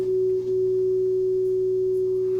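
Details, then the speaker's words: Hybrid tube/solid-state audio amplifier on bench: clean steady test tone with low constant hum underneath; line hum suspected from an unshielded input lead, not confirmed. "gonna audio line hum in there I can hear that echo hopefully you can hear that"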